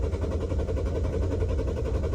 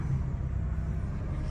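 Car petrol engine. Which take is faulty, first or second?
first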